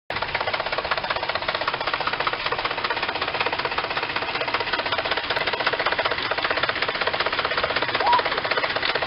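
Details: 2006 Cadillac STS petrol engine at 118,000 miles makes a fast, steady mechanical knock from under the hood, then stops and runs smoothly; spark plugs already replaced, owner plans PCV then possibly oxygen sensor; cause unknown.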